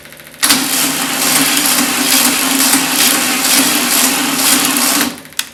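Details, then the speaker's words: VW Beetle engine with the body removed, temporarily run with an external gas tank, fuel pump, battery and starter switch: the starter drags it over sluggishly and unevenly for about five seconds without catching; the battery is suspected dead and needs a booster. "Ooh, battery might be dead. Might have to put a booster on it."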